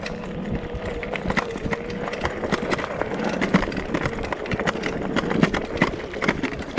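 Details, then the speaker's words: Rattan Fat Bear Plus fat-tire folding eBike riding mostly hard-pack trail with hidden roots at speed: rapid irregular clattering knocks over tyre and trail noise, bursting on bumps; battery loose and bouncing in its mount. "kind of test it out on mostly hard pack with just a few hidden routes, which you can hear from that battery bouncing around that it's not quite as smooth as it looks."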